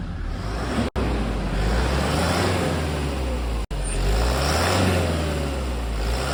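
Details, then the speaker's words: 2010 Toyota Hilux KUN26R, 1KD diesel, 291,000 on the odometer, after the broken whistling turbo was replaced with a new one: a deep, even rumble rising and falling smoothly through idle and revs, no whistle or rattle, normal. "yep hopefully the camera my sound can capture that one and yeah that's a different of a new turbo in a broken turbo"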